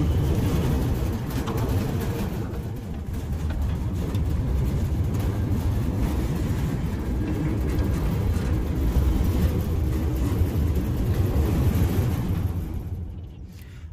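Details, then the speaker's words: New Centurion D10 sliding gate motor during limit setup, fast travel after slow runs to both end stops; smooth low drone holding steady over ten seconds then winding down, healthy normal run. "so after going slowly to the first end stop and then to the second end stop, the gate has run fast and then it opens and closed."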